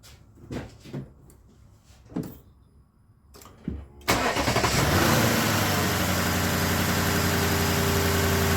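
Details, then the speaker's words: Lexus LS460 in for misfire, after the fix is put in; several starter bursts, then a steady even idle with no stumble; check light still on for camshaft actuator circuit. "Oh yeah. That sounds amazing. Clear these codes out."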